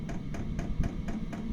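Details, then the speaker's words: Chinese diesel air heater (Webasto-type) installed under a Renault Trafic 3, test-run on temporary battery power with fuel drawn from the tank: fuel dosing pump clicking sharply about four times a second over the heater's low steady rumble, normal operation. "Ça fait quand même du bouquan entre la pompe qui fait du bruit, qui claque et le système du chauffage, je pense que ça va être assez discret dans le camion."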